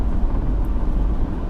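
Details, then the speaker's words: Retired 1992 Dodge Ram long-wheelbase van ambulance, 5.9 (360) V8, about 9,000 miles, recorded while driving: a low, even V8 drone under road rumble with no knocks or misses. It runs really nicely; normal running. "er engine so this is the 5.9 or in Mopar terms the 360. it runs really nicely"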